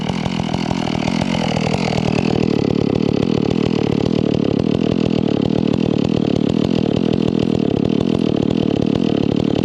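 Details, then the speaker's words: Stihl MS 461 chainsaw with Westcoast Saws kit, Maxflow air filter, carb limiters removed: runs at high revs with burbling, uneven four-stroking crackle off load instead of a clean scream; carburetor tuned rich. "she's running plenty Rich you can hear that four stroke if I'm not in it hard"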